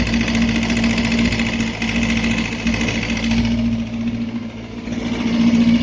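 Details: Suzuki Bandit 250 four-cylinder engine at idle: a sharp metallic knock at about three to four per second; teardown found a spun rod bearing on cylinder 3 and a crankshaft fit only for scrap; rod knock.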